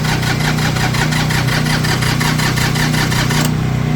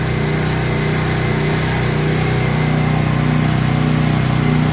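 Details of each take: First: Tractor diesel just fired on a cold morning with a hair dryer blowing hot air into the intake as a temporary fix; it knocks unevenly about 150 times a minute with a hiss, rough cold running as the owner says the glow plugs, or one of them, are bad. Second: Diesel tractor with faulty glow plugs, started on a cold morning using a hair dryer to warm the intake air as a temporary fix: steady, even diesel clatter at a low, constant idle with no misses or hunting. It is now idling normally.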